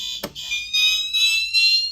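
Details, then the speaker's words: Fire alarm test, System Sensor Spectralert Advance CHSR horn set to whoop, which works now that the panel treats the circuit as continuous. High tone sweeping upward in quick even whoops: normal whoop tone. "I put it on woop like you originally requested because it thinks it's uncontinuous or something and it's working now"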